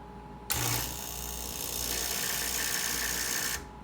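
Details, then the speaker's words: Breville 800ESXL espresso machine with replacement ULKA EFP5 vibratory pump (120V 60Hz, 52W) after installation, priming from a water container; steady, even buzzing hum starting and stopping cleanly, the sound sought after the swap; normal pump operation, though this model is noted as loud. "beautiful. That's the noise that I'm looking for."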